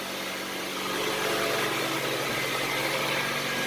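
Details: Honda CR-V idling after an engine reseal, timing check and valve lash adjustment, freshly started: quiet, even idle with a soft steady hum. The earlier valve tapping is gone; the engine sounds healthy.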